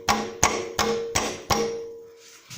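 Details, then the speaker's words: Mazda 3 underbody check: sharp metallic knocks with loose rattle when struck, from a worn driveshaft center support bearing. "слышно, что разбит подшипник."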